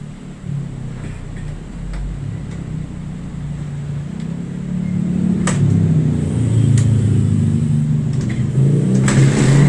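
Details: Motorcycle with hard starting: rough, uneven revving, misfiring with sharp backfire pops.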